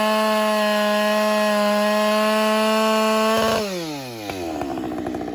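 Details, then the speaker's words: Husqvarna 572 AutoTune chainsaw, manual reset after running with clogged air filter: screams at steady high pitch for three seconds, then pitch sags as it loads in the cut, returning to peak torque; auto-tune relearning fuelling. "I heard a change did you guys you guys hear it change right at the very end right at the very end you can hear it get back into the peak torque of the motor"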